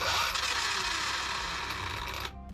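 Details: Newly built Arrma Limitless RC car with brushless motor, just bound and ESC-calibrated, gear mesh freshly set: a clean, high electric whine that sweeps smoothly up and down with throttle, then cuts off cleanly; motor runs healthy.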